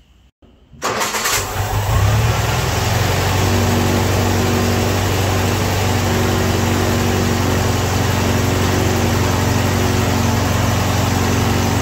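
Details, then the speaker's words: Ford-built M151A2 military jeep, 141.5 cubic inch 71 hp engine, stored 20 years: after starting, hard regular knock about four per second from the bottom end, pistons or rods suspected, not valve train. "Yes, sir, there's something wrong with that motor. It took it, I don't know, 10, 15 seconds maybe. She went to riding like a diesel."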